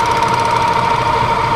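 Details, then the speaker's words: Monarch CK12 lathe, spindle speeds 53 to 1,000; with the clutch handle lifted slightly the drive runs with a steady even hum, no clicking, though clicking appears at full clutch engagement: normal running. "whenever I raise the clutch up when I raise the clutch handle up just a little bit uh it sounds uh perfectly fine"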